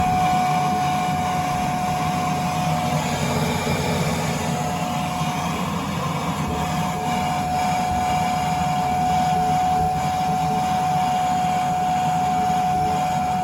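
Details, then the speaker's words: ICP air handler blower in the attic, on a no-heat call with a Burnham Alpine boiler in lockout 21: steady mid-pitched whine over a low rumble, dropping out and returning. The blower is not staying on; a blower motor problem is suspected. "Invalid modulation perimeter. Sounds like you got a blower issue here."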